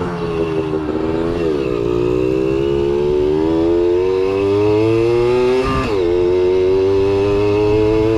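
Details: Kawasaki KS II-50 two-stroke, after carburetor service and tank cleaning, with oil mixed into the fuel because the automatic oil pump is in doubt; crisp buzz rises and eases with throttle, quick blip near six seconds, clean pickup.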